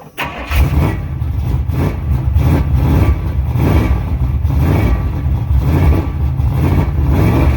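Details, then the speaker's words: 1986 Chevy C10 Silverado 350 5.7 V8, just after an oil leak fix and turning up the timing. Uneven revving, with the idle surging and sagging. The owner believes it is getting fuel and suspects it is just cold; the distributor is being tightened. Rough cold idle. "she's not wanting to i'll idle uh i'm pretty sure it's getting gas to it so uh she might just be real cold nature"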